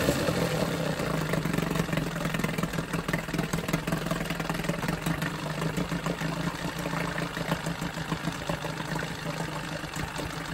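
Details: Johnson 9.9 outboard after carb kit rebuild and new spark plugs: steady low putter with fast even beat, no misses or knocks, idling quietly and evenly; normal idle.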